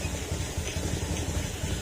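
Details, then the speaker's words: Honda Beat FI scooter after repair; it had suffered hard starting, stalling and misfiring for two weeks, and the fix included an ECU DTC and configuration reset. Low, even putter with no misses or surging: normal, smooth idle. "Maganda na uli yung menor niya."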